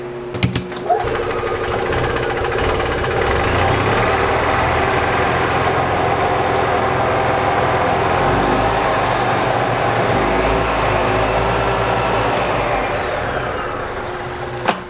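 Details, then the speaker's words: EZGO TXT gas golf cart, previously hard starting with power loss, after a carburetor clean, valve lash check, tightened plugs, new air cleaner, fuel filter and tightened starter-generator belt: starts promptly, steady even idle with a regular low pulse, no misses or knocks; normal idle. "It's definitely better. Starts right up. I think the carburetor had a lot to do with that."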